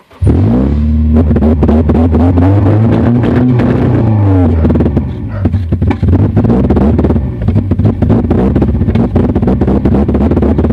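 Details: 2000 Honda CR-V with B20Z engine running lumpy with an uneven, stumbling beat and dips in speed that suggest misfiring and near stalling; cause not clear.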